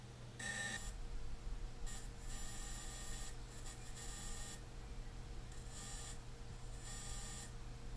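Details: DJI Phantom 2 Vision+ gimbal: repeated bursts of high buzzing and whirring over a low hum, in uneven spurts. The noise disappears once the camera is tilted fully down.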